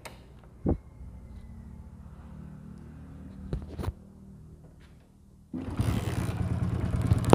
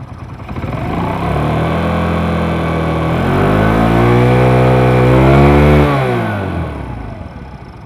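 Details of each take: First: Old first-model Hero Splendor single-cylinder bike: quiet clicks, then engine catches and runs with harsh uneven rattling clatter despite earlier work; cause found as worn oil pump shaft and parts. Engine rattle from worn oil pump. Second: Old first-model Hero Splendor after replacing oil pump shaft and parts, oil reaching head: revs rise and fall cleanly twice, then even idle with no rattle. Normal running after repair.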